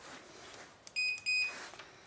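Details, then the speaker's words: Free broken router's power switch after its corroded contacts were cleaned and it was reassembled: two crisp high-pitched multimeter beeps in quick succession over a quiet room, confirming the switch now conducts from one side to the other. "Yeah, from one side to the other. Yes, that wasn't working before. There's just something wrong with the switch."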